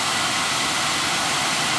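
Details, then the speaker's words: 2010 Audi Q5 blower motor, previously stopped working (fuse good), removed and plugged back into the car with ignition on: strong even rush of air, spinning fast down to super low with no squeak, chirp or rubbing; blower runs normally. "without squeaking all the way down to super low no squeak"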